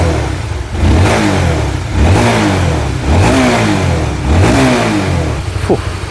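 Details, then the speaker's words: Honda RS150, 21,000 mileage, after overhaul fixing broken piston: revs rise and fall cleanly about once a second with no knock or rattle underneath; very quiet. "serius senyap, sepi, sunyi, syahdu semua segalanya."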